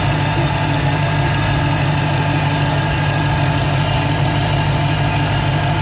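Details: 2015 Dodge Challenger Hellcat at idle: steady heavy idle with a faint, thin, unwavering whine, which the owner suspects is a supercharger bearing starting to fail; sometimes loud enough to hear from the driver's seat.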